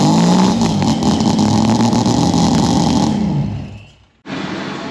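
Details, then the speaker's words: Mazda rotary with Weber carburettor and newly added fuel return line, running well: catches and runs an even, buzzy idle, no knocks or misses, before shutting off; healthy. "um but yeah so this is running mint now I'll start it up shortly"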